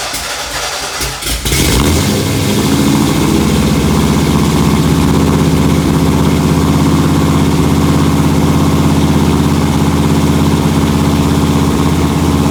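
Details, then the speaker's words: 1968 Mustang Fastback, cammed 460 big block, Holley 750 carb, long-tube headers, new Holley electric fuel pump and fuel filter, warm second start: cranks and catches quickly into a steady lumpy cammed idle; running healthy. "second time no problem so I see she's running good now"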